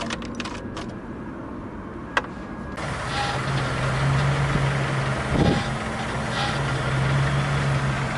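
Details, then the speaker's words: Gazelle van with a Chrysler engine, after replacing the fuel filters over lost power and a loud pump whine: a few clicks, then a steady, even idle with no constant pump buzz. Pump operation is now normal. "нет такого постоянно вооружения есть просто вздохи насоса от того что он счастлив"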